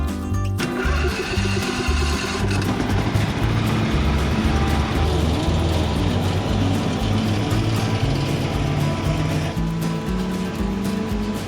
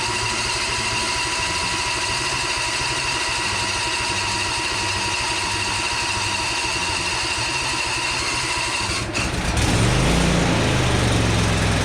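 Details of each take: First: Briggs and Stratton V-twin in a Husqvarna Z246 zero-turn mower, owner initially suspected a governor issue: uneven, lumpy firing that surges and sags with a rattle on top (owner thinks idler pulleys slapping), running on one cylinder from a broken pushrod. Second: Husqvarna Z246 zero-turn with Briggs & Stratton V-twin after governor adjustment and oil/filter change: steady, even idle with smooth pulse, then picks up to a fuller, louder run; engine running normally.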